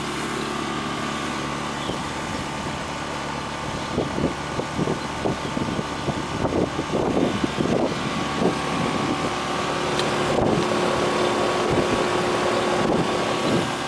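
Steady, even hum with a smooth fan drone and no panel rattle: condensing unit running normally.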